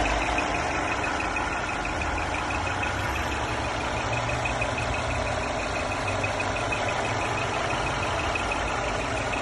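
A thin, steady high-pitched whistle sits over a smooth idle and holds constant; a whistle from the engine bay, source unclear.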